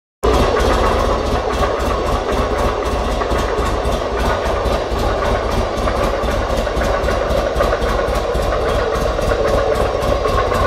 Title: Buell XB9 sx 2005 Bruit moteur